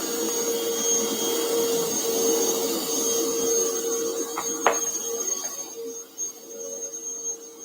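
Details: Bissell Powerforce Bagless 6579-2 vacuum, test run before tear-down; owner notes a smell and squeaky handle: steady motor drone with thin high whistle, even until it winds down near the end; runs normally.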